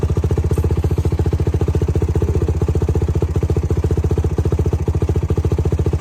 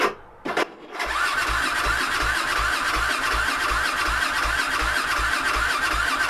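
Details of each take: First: YFZ WR450 478 hybrid single-cylinder after head gasket repair: even, regular thumping at about four beats a second, no knocks or rattles; idling smoothly, healthy. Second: YFZ WR450 478 hybrid single-cylinder, fuel and key on, choke pulled, before carburetor work: slow even cranking chugs about three a second for roughly ten seconds before it catches; hard starting, way too many chugs.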